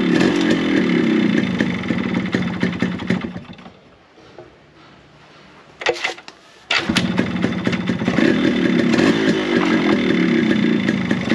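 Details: Yamaha RX100 two-stroke after replacing block and piston, silencer refitted: crisp revs, falls to a quiet idle and snaps back with no piston slap or rattle, some smoke; earlier noise was worn block/piston, not crank; normal running.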